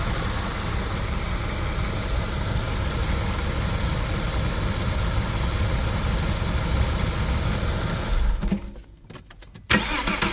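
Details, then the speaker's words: Porsche Boxster 986 flat-six after a new water pump and new drive belt: smooth, even idle with the whine gone. The old pump's bearing had failed. The engine did not overheat, and the old thermostat is still fitted. "all right now it's running good cars already"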